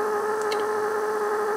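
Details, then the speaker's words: 1960 Telectro MR511B reel tape recorder with the speaker grounded to the metal around the output jack. A steady pure mid-pitched tone over faint hiss shows amplifier oscillation from a poor electrical connection between the jack, its metal piece and the chassis. "so it looks like the electrical connection between the actual jack itself and this metal piece here is not so good"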